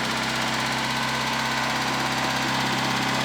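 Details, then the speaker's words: Proton Satria just after rebuild, first start with no coolant yet: fast, light ticking over slightly high idle; hydraulic lifters removed and cleaned, dry until oil pressure pumps them up. "now she's also very Ticky at the moment because remember I pulled out the lifters and what's it called um and clean them out completely so the oil pressure needs to build that back up on them once that happens it should be good"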